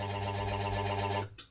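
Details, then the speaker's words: Washing machine motor that got wet: steady mains hum with a buzzy edge, one side not turning or only turning slowly, then cuts off; capacitor checked, motor winding judged failed and needing rewinding. "Mesinnya harus digulung lagi. Ya. Itu teman-teman. Nah, nanti sebelahnya mutar lagi dia. Tapi berbunyi begitu. Berarti harus dibongkar mesinnya, harus digulung lagi teman-teman."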